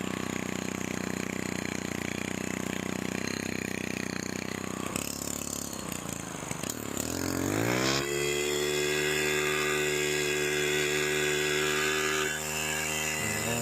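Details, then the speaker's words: STIHL FC 90 edger after a full service and tune-up, with carburetor low side then high side adjusted: engine blips, then holds a clean, steady high-rev scream without hunting. The earlier vibration is gone. "That sounds nice. Look at the vibration's gone."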